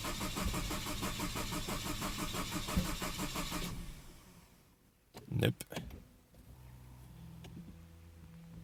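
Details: Saab 9-5 with a replaced engine: steady starter cranking at about three turns a second with no catch, then weak puffs from the tailpipe; the fuel pump is heard priming, but it cranks and won't start.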